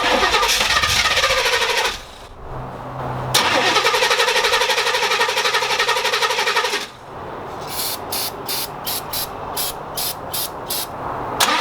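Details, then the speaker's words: 1987 Chevrolet El Camino, sat for an unknown time, new battery fitted: catches and fires a few seconds then fades and stalls, recranks; fuel starvation suspected, later traced to improperly attached choke linkage. "Alright, it kind of sounds like it's not getting any fuel, because it does start up when it breathes in those fumes that are flammable, but it runs out of those fumes real quick, and then dies."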